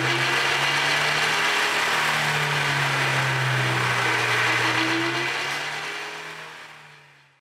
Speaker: Listen carefully to the whining noise on acceleration. The noise you are hearing is coming from the differential drive pinion bearings.